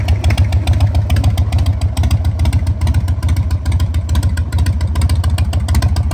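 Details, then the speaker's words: 2001 Harley-Davidson Sportster 1200 custom V-twin that sat about three years, first start after fuelling. A steady, deep loping beat at roughly two pulses a second; it idles cleanly. "we'll go toss it on the bike throw some fuel in it and we'll see if she'll fire right up"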